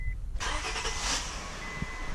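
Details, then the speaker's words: Honda Accord with 175,000 miles and a new cold air intake, filter dangling unboxed; engine cranks, catches and idles with a breathy suction hiss from the open intake filter. "hear a little bit of suckage guys a little bit of suckage oh yeah you can definitely hear it definitely here"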